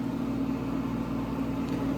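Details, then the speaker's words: 1970 Gibson Air Sweep window air conditioner, reconditioned, with the compressor running on a medium cool setting: a steady, even hum with a low drone and soft fan rush, no rattles or knocks. "this is where the compressor is over here let's start it up"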